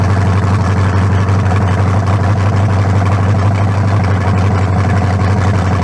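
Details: Freshly built 0.040-over 350 (356) V8 with lower-compression forged pistons and a new converter, in the 1974 Nova, first start without the turbos fitted; a steady, lumpy rumble with no knocks or ticks, sounding better than the old 388; normal idle.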